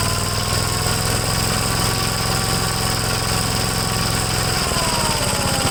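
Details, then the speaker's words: 1957 Gravely L tractor engine after replacing a clogged fuel filter, choke off, carburetor leaned slightly after being too rich: steady even note that settles lower and smooth with no misses or hunting. Runs clean. "Okay, sounds good. You notice I had it too rich when I was giving the throttle. I was having a hard time regaining RPM. So I just leaned it out a little bit."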